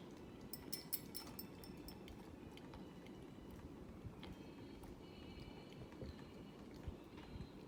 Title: Hampton bay Huntington iii (making a clicking sound)